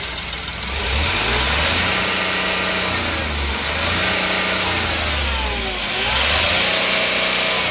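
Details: Ashok Leyland Dost diesel after replacing a faulty crank sensor that caused misfire and rattling with no scanner code: repeated rev-ups climb smoothly and return to steady idle, no stumble or crackle; now revs fully, check light still on.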